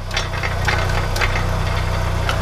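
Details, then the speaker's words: VW Golf 1 Cabriolet petrol at steady idle: a light, irregular tinny rattle over the low hum. It comes from inside the catalytic converter, which is not holed; the internals are loose. "Je vais essayer de vous montrer le problème que j'ai avec mon catalyseur."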